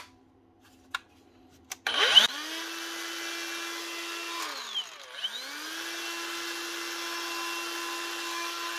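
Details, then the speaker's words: Makita grinder motor after bearing replacement, spinning up to a steady clean whine, coasting down and restarting smoothly with no rumble or rattle; bearings now sound healthy, normal running. "that sounds a lot better no sound at all that's what we want"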